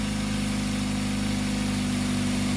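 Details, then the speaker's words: Idling engine with a loud, raspy, puffing exhaust note from a flex pipe with a hole in it. Exhaust leak. "you can hear the exhaust noise that's from the flex pipe Flex pipe's got a hole in it"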